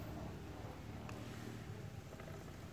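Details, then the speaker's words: Motorcycle chain after cleaning and lube spray with rear wheel spinning: low, smooth, even drone with barely any chain rattle or slap, chain noise really very small; quiet lubricated chain. "Như các bạn có thể nghe thấy, ở đây tiếng ồn của dây chuyền sản xuất thực sự rất nhỏ."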